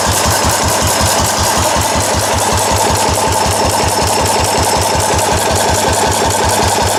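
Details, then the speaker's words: Restored four-horsepower Cushman binder engine with wide flywheel and original paint and tank, test run after restoration; steady even single-cylinder chuffing, firm regular exhaust pulses, no knocks or misses, healthy. "okay here's the final video on a four-horse Cushman the rest restore to running is complete the engine runs good it came out pretty well"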